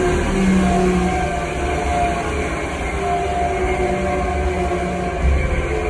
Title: Air3 Italmecc strange noise